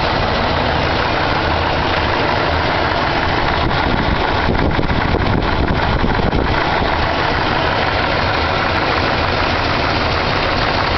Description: My 454 Engine knock can someone tell me what type of knock this is?